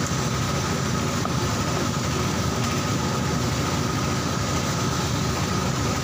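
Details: Old carburetted Honda Supra Fit single-cylinder, which had been dying suddenly while riding, after carburettor service: a steady, even idle with a fast regular patter, no misses or knocks; runs clean.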